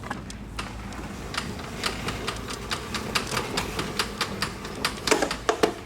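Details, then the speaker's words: Toro TimeMaster mower being rolled: sharp dry pops a couple per second as the rear wheel cover hits the groove of an out-of-round rear wheel; fix is replacing that wheel. "that's got to be one of the worst on I've heard yet that is the rear cover making noise so if it makes a popping noise it's either the left or rear wheel it's the wheel is not round on the back side"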